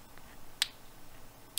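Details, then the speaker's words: Tycon TP-SW8GAT PoE industrial switch powering up, held right against the microphone after the power supply's pop. Two crisp clicks about a second apart as the alarm relay activates. Normal. "so that's the alarm relay that's the alarm relay kicking in that's it opening it's activating"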